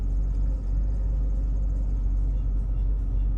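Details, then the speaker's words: 1994 Ford Mustang GT V8 idling, parked after a highway drive at about 70 mph, following a CCRM fix for overheating (two capacitors replaced, relays resoldered): electric cooling fan turns on and drones evenly, temperature returning to normal. "I hear the fan turning on, so I think that did it."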